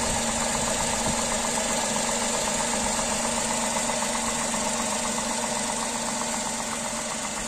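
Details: Tata Tiago three-cylinder petrol engine idling with the bonnet open; steady, slightly lumpy idle with a throbbing triple pulse, even and without knocking; normal three-cylinder idle.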